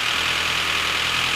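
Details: Volvo S40 with Ford 1.6 petrol engine, hot at idle: dense, fast metallic top-end valve clatter that grew gradually, from oil starvation. Scan showed nothing and compression is 13 bar in every cylinder.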